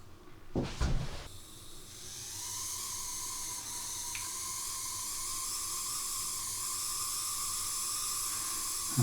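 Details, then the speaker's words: Second-hand Oxford Rail Class 415 Adams Radial 4-4-2T model locomotive: a faint, steady high whine over a soft hiss while running. It persists after oiling the top bearing, likely from a poor motor; owner plans to run it in on a test track. "don't know if you can hear that, but I definitely can. And that sounds really like the motor problem, motor noise."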